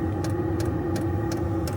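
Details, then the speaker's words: Chinese 12 V portable diesel heater in a caravan, temporary install, just after priming and firing: steady low roar and fan hum with soft repeating ticks, drawing air in, pipe getting hot; running properly. "And now it's going like the clappers. And you can hear it drawing air in through there."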